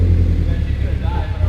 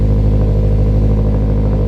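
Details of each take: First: Scion FR-S on the first start after a turbo kit, still on the stock tune before its new fuel system was installed; a deep, lumpy rumble that surges unevenly when blipped, not revving cleanly. An exhaust leak was suspected, but none was found. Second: Turbocharged Scion FR-S, first start after fitting a new fuel system, fuel pump and larger injectors: strong, even low idle with a steady beat and no misses until shut off; runs better than before, no leaks.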